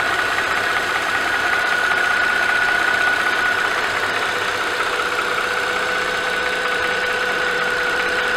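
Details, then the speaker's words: Mercedes-Benz M272/M273 (S211 E-Class) warm idle at 800 rpm after oil pickup tube O-ring fix: rhythmic metallic tapping about three times a second over the hum, audible up to about 1200 rpm, source not yet identified; metallic ticking at idle. "once the car is warm and idle drops down to 800 RPM very noticeable like rhythmic metallic tapping noise is still there um and that's present all the way up until like 1200 RP PM when the engine's just too loud"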